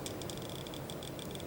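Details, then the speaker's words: Commercial low-temperature refrigeration defrost timer advanced manually to the 8 p.m. pin: quick sharp ticks as normally open contacts close and normally closed contacts open, starting the electric defrost cycle. "well you just heard were the switches flip-flopping the normally open was closing and the normally closed contacts opened"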